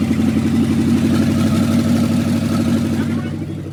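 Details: 1969 Dodge W300 Power Wagon, 440 big block, first run after storage: deep, loud, even V8 rumble through open headers, steady beat, no tapping or knocking; healthy, though a new carburetor is planned.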